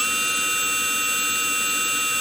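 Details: Model-airplane brushless motor driven by an ESC on an 11.1 V battery, STM32 Nucleo L476RG PI RPM controller on a test fixture, at a commanded step of about 6,000 RPM: steady high whine holding one constant pitch; normal.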